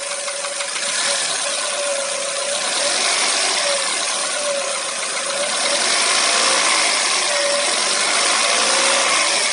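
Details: Hyundai Solaris engine revved lightly: an even, light ticking knock at about four per second over the engine note, cause not identified.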